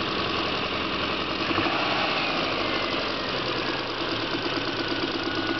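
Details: Subaru EJ22 engine with 235,000 km at idle: loose, uneven tapping over a busy idle without a firm beat; owner suspects piston slap, unconfirmed.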